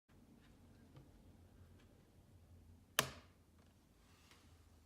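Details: 2016 MacBook Pro 15-inch: faint ticks, then one sharp loud pop and creaking as the screen is opened, from the hinge.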